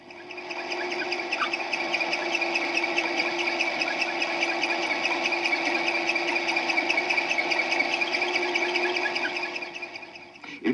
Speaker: this next one gives itself away by the distinctive squeak it's an ailing water pump that lacks lubrication